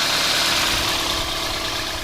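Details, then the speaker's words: Toyota Corolla after MWR alternator underdrive pulley install, engine hot: steady even idle with smooth hiss, no whine, squeal or grinding; earlier alternator noise has gone, owner suspects something loosened then settled. "there we go the alternator doesn't sound bad anymore it sounds perfectly fine"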